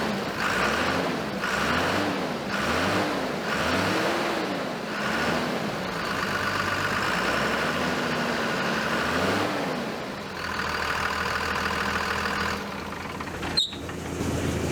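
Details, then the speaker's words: 2001 Dodge Ram Cummins diesel, cold, after new clutch fan installed: steady rev pulses with loud rushing fan roar rising each rev; new clutch fan engaged, normal cooling fan roar. "as i rev it up you can really hear that fan i still think that's kind of backwards you wouldn't shouldn't hear the fan when it's cold"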